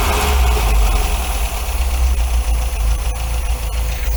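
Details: 1980 MGB, twin carburettors just balanced after fixing throttle linkage where the front carb moved first, after head gasket replacement and timing: deep, solid note rising and falling evenly under throttle with no stumbling; normal revving, carbs balanced.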